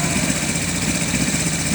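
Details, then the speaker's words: Blue buggy, engine just repaired, fitted with a heavier cam, started with a little choke: even, steady idle with a smooth low thrum and slightly lumpy cam beat; normal idle. "Listen to that baby purr. Ain't that nice?"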